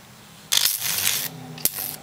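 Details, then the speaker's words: Film capacitor fed DC from a microwave oven transformer setup: sharp sizzling crackle in two bursts then a snap, the film dielectric breaking down. "he that crackling that's a Capac breaking out like the um D Electric and all that the film breaking"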